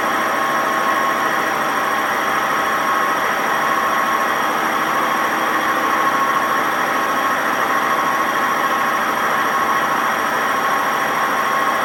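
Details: Washing machine WMA50 on a fast spin with no ballast: loud continuous roar with a steady high whine throughout, very bad noise from badly worn drum bearings.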